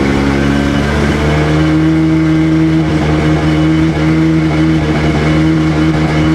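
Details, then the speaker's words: Rebuilt Sea-Doo GTX DI 951 two-stroke on the lake, fuel of unknown age, about 15; loud drone under load broken by uneven stumbles, skipping at 4200 rpm as RAVE valves open; top end good; owner suspects an odd RAVE hose expanding. "Uh-oh, she's skipping. Heat up here. Heat up here. Not liking that. Top end is good, but it's skipping right at 4200."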